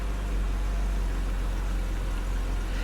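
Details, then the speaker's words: 1997 BMW E39 just started after new plugs and gaskets: deep idle with a faint uneven beat; misfire suspected from oil in the plug wells that got into the cylinders, then clears up. "oh it's misfiring oh you know why it may be misfiring because there was oil in those spark plug wells and when I pulled the spark plugs out yeah some of that oil got down into the cylinders"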